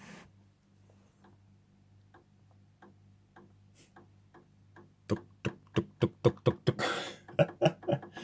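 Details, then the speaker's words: 1960s Lotus 19-inch valve TV model 6513, minimal EHT, line oscillator suspected; on reduced supply voltage a stage gives slow uneven chugging pulses, about one a second, quickening into rapid putt-putt over a low hum, like a single-piston pump engine. "that actually sounds kind of amusing when that starts up slowly. Sounds like one of those sort of single bloody piston pump engines or something like that."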